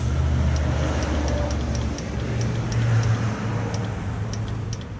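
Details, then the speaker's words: Tao Tao 110cc mini ATV, long-sitting probably dead battery boosted by a jumper pack: starter whirs low, labours and cuts in and out with clicks; owner suspects a bad connection or short and calls the starter shot, weak intermittent cranking. "Starter. Oh. Oh yeah. Oh. So, that sounds like a bad connection. Interesting."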